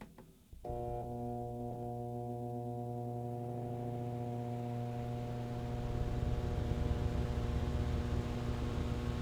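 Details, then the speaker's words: Single-phase fan motor run from a Brasiltec soft starter with bypass contactor, set to voltage ramp: low hum with steady tones growing louder as the fan slowly picks up speed on a gentle ramp; normal soft-start acceleration. "Vou ligar e a gente vai ver como é que ele vai acelerar. Prestem atenção no ruído também."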